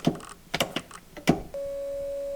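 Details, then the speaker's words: High-mileage Porsche 996 911 Turbo seat: switch pressed, a steady electric motor hum holds for about a second but the seat doesn't move; the power seat drive is broken, blocking seat removal. "you hear it making noise but it's not moving so I'm not sure how I'm supposed to pull this seat out while it's uh broken"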